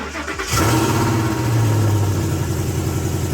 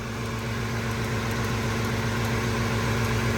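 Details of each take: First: Gen1 Ford Raptor, 10 years old, 64,000 miles, after replacing bad spark plugs and rear coil pack that caused popping: engine catches after a short crank and settles into a steady, even idle, no popping or ticking left. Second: Gen1 Ford Raptor V8, 10 years old, 64,000 miles, no codes, ticking for a year and first thought to be a lifter: a steady idle with a light, fast tick of three or four a second from a coil pack arcing to ground.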